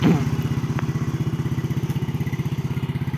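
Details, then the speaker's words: 2009 Yamaha Mio single-cylinder scooter idling: a soft, even putter, steady and smooth with no knocks or rattles; the engine and CVT are described as smooth, a healthy normal idle. "Bisa lihat suara halus CT juga halus ya."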